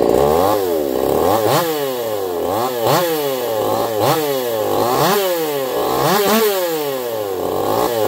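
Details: Echo CS-4910 chainsaw with taper-top piston/crank swap, test cuts: revs climb and fall about every 1.5 seconds as it bites in, clean and crisp, no stumbling; zero vibration felt; runs a little warm, about 180 psi cold, 170 warm; normal running under load.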